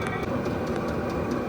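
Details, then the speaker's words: VEVOR 8kW all-in-one diesel air heater, running with the exhaust muffler fitted, which quietens it significantly. Steady, soft blowing roar with faint, fairly even ticking. Muffler drain hole blows a little condensation steam. Running smoothly and quietly. "okay now you can hear with the muffler on it the muffler does quieten it down significantly"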